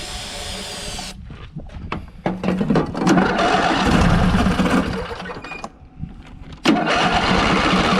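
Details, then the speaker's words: Scrap engine deliberately run without oil to try throwing a rod, after a jump-box start: labours roughly, cuts out, catches again, then runs harsh; it just seized up with no rod thrown, later showing a tight spot when spun by hand. "Nothing. Just seized up. No rod throwing."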